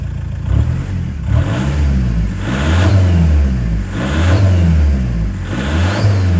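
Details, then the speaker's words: 1.9 TDI diesel warming up at idle, clutch in and revving: each blip followed by a soft whooshing turbo spool as it draws air, no rattle or squeal; turbo sounds healthy. "But what I've noticed is even on idle, if you're just clutching and revving it, you can hear the turbo spooling as it's sucking the air in."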